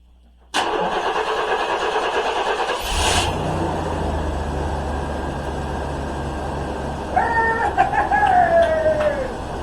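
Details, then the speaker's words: 1994 Chevy S-10 after new fuel pump, tank, sending unit and lines, 5 gallons of gas, pump heard at key-on; short crank, catches quickly, steady even idle without priming the carburetor; starts and runs normally. "Woo! It's a runner! I didn't even have to put any fuel in it."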